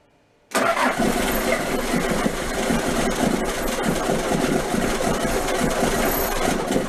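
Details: Toyota 3B 3.4 L naturally aspirated diesel from a 1981 BJ60 Land Cruiser, sitting 6–7 years, firing after glow plugs with air bubbles still in the fuel: rough, clattery but steady idle through a loud open exhaust, no stalling or misfire. Normal diesel running.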